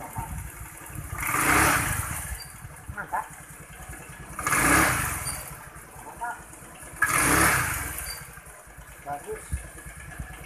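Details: Honda Vario 110 scooter, previously stumbling on initial low-rev throttle, after air-screw adjustment: three quick blips rising cleanly and dropping back to a quiet idle with no stutter; low-rev pickup now normal.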